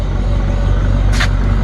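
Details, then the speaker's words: BMW E39 540i on jack stands, rear wheels spinning in drive: deep steady grinding rumble from rear axle, confirmed as bad differential bearings (owner hopes not the gears too), not a wheel bearing. "hear that grinding around in there without a wheel spinning obviously yeah hate to say it well should we hope to be a little burying but my fifth is bad Holies our bearings in the differ about it's not the gears too"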